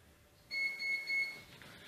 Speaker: непредвиденное обстоятельство у нас опять выключили свет вот вы можете слышать кричат инкубаторы